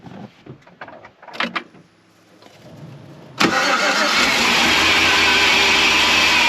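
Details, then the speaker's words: 2007 GMC Yukon 5.3L V8 with Active Fuel Management, low oil pressure warning, after Seafoam and fresh 5W30 synthetic oil change, mic under vehicle: cranks, catches, steady even idle, no knock heard; owner thinks it sounds healthy. "folks it just does not sound like to me that it has low oil pressure it sounds healthy it really does"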